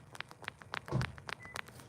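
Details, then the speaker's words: Stihl chainsaw carburetor metering diaphragm being flexed by hand on an older saw. It gives faint irregular crinkly crackles because it is stiff rather than soft and pliable, so it should be replaced. "see how it's making that little like that little sound a brand new metering diaphragm is soft to the touch and just it won't be making any noise but that one no good"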